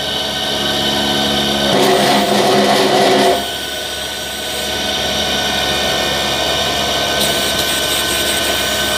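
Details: Newly fitted 12 V DC air-conditioning compressor drawing about 13–15 A running empty, with amps rising as gas load comes on. Steady electric motor whine with a hum underneath; pitch holds firm under load and it runs evenly.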